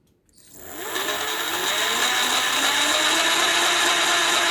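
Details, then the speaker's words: 48V 500W BLDC mid-drive motor kit with gearbox (about 4000 rpm motor, 260/160 rpm output), bench test: harsh gritty gear whine rising as motor spins up; gearbox running without oil. "मैं इसमें भी oil नहीं है इसलिए ज्यादा आवाज आ रही है"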